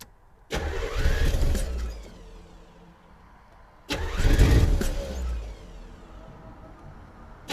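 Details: 1984 Corvette during distributor diagnosis, second try: two long bursts of starter cranking at about four beats a second, each dying to a faint rumble. It pushed heavy smoke, and the owner suspects a plugged exhaust. Long cranking, hard start.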